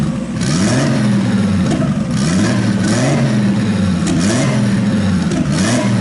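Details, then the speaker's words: RB26-swapped Subaru WRX on a Haltech base map, air-fuel ratio brought from 15–16 down to 12, engine blipped repeatedly with cooling fans running; it revs cleanly, with no misfires heard anymore. "We don't hear any misfires anymore. So let's get some temperature on this and see what happens. We have the fans on and it's cooling down, which is good. The engine is revving good."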